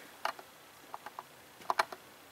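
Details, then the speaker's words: GMC Sierra with DTC P0449: sharp, light clicks in small irregular groups from the EVAP vent solenoid near the charcoal canister, working only intermittently after a tap; a common failure on these Chevy/GMC trucks. "turn it on and off I mean we're clicking so we should verify circuit integrity at this point"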